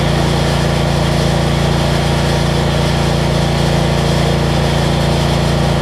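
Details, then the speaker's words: Generac 7500EXL generator after unplugging bad low oil switch (was shutting down after 3-5 seconds) and slowing throttle speed, ~1500W heat gun load: even steady drone, no hunting or surging; idle control much better. "and it makes me show that all the basics work on this thing i always got to choke that's much better idle control"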